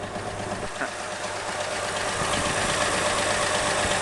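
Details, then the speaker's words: Cold-start idle of a 1960 Ford 223 inline-six truck after retorquing the rocker-cover-area bolts: even, steady idle, lifter tick gone, only a faint light valve-train tick remains; normal idle. "notice no more tick smokey so what i did what i said in my last video was i was going to take the take the rocker cover off and torque down all the bolts i did that and it worked"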